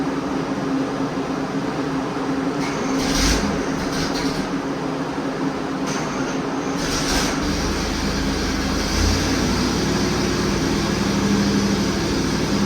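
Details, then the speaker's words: Freshly rebuilt Ford FE 390 big-block V8 for a 1967 F100, with Aces EFI, first fire-up on the dyno; runs strong and even, pitch rising cleanly with revs, no knocks or rattles; normal running. "Big blocks sound good. Big blocks sound good. That sound real good. Fired right up, boys."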